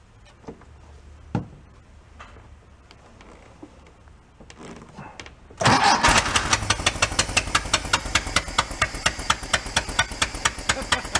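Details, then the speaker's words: Abandoned 1976 Porsche 914 converted to a station wagon, with new fuel lines; it cranks, catches and runs unevenly with a puff on each beat, about two per second. Fluid is spitting from cylinder three/four; a blown head gasket is suspected. "hmm it's running on them but either it has a blown head gasket or mother she was going on"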